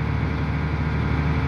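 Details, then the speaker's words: Volvo EC480D excavator with RPM dropping to idle during operation, machine unlocked but not operated: heavy diesel sits at a low, steady, even rumble with no load; normal automatic idle-down. "so I am not working I'm not operating the machine so RPM is go down it means a good one"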